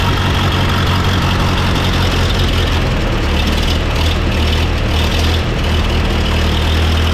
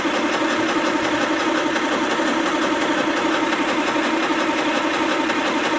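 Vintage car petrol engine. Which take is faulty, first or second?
second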